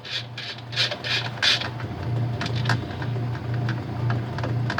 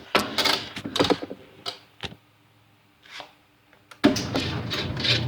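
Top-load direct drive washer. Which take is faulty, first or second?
first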